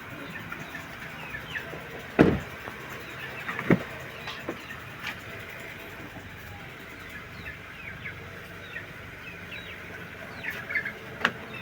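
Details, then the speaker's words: Car after power steering pump repair and rack-and-pinion overhaul: engine runs quietly and evenly with no pump whine or hum, just a few outside clicks; the former loud humming, worst when turning, is gone; normal power steering pump. "wala na yung ugong dati lakas ng ugong. So ngayon wala na siyang ugong."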